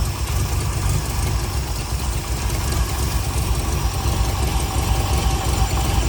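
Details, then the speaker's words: MGB GT with Rover V8, on choke during strobe-light timing check: deep idle with lumpy uneven beat stumbling now and then; insufficient ignition advance, distributor to be rotated. "et en fait on se rend compte que j'ai pas suffisamment d'avance allumage."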